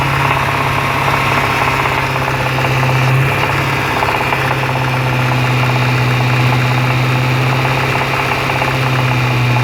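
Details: Jaguar XFR supercharged V8 at idle with supercharger disconnected: steady low hum with faint regular knock about four a second, starting 25 miles after a major service; shop blames the supercharger.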